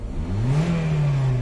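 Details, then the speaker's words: Honda Civic FD free rev during a check for delayed, clunking reverse engagement and a blinking D light after the transmission was removed; engine climbs smoothly and evenly back down with no misses or knocks, normal rev. "Maayos naman ang revolusyon."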